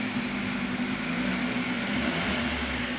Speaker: so right off the bat it does start so that's a plus